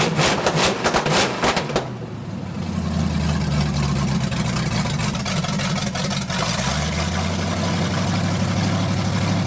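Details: 1980 Dodge short-bed truck with big-block V8, first run in 14 years, during cam break-in after points-to-electronic-ignition conversion: some clatter up front, then smooth, even high idle with steady firing; healthy running.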